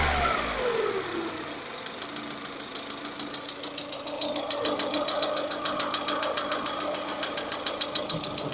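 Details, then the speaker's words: Lada Kalina 11174 after bent-valve repair (new valves, pistons with valve reliefs, rings, bronze small-end bushings); strange metallic knock in cylinder 4 appears once it reaches 90, at idle and under load; cause unconfirmed. "Вот до 90 доходит, появляются вот такие странные стуки. На холостых и под нагрузку."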